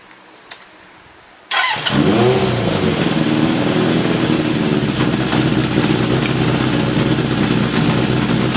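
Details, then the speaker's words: 1981 Honda CB750 K1 four, about 3,900 miles, probably original rubber, carbs reportedly recently overhauled: fires up with slightly uneven hunting idle; vacuum leak suspected at degraded seals, carb boots and throttle shafts. "there's probably a seal or something that's not doing its job so you know rubber degrades over time this is an 81 it's probably all original"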